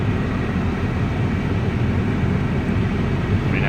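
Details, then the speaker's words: 2003–2012 Chevrolet Colorado/GMC Canyon after fixing no-blower complaint with new harness and resistor: steady even rush of air with low hum, no squeal or rattle; blower now works on all speeds. "have lower motor actuation on all speeds and even when I got the plug to work before you only got actuation on one and three and four there you go behind the glove box there's your fix"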